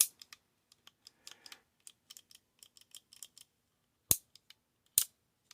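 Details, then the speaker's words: Shimano 3-speed index shifter after T-9 Boeshield lube poured down the cable hole: sharp, crisp clicks through 1, 2, 3 with gaps between; sticky shifter now partly freed. "Starting in 1, clicking through to 2, clicking through to 3. Okay, you hear that? You can hear those clicks. They are sharp. They are crisp. They are back."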